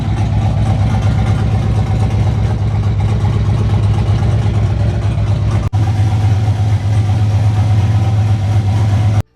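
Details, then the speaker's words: Single-turbo Silverado idling on fresh 10W30 oil used to flush out E85 after a bad dyno day: steady, even low rumble with no knocks, ticks or misses. The truck sounds good. "So we'll just let that idle for like 5-10 minutes. Truck sounds good"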